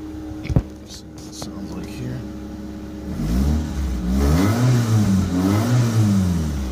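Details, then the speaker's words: 1997 Mitsubishi Mirage 1.8 after replacing a fried coil pack that caused a misfire: engine catches and revs smoothly with even rises and falls, no hiccups or break-up; normal running after repair. "revs not really give me any hiccups so can't complain about that that's what I was hoping for"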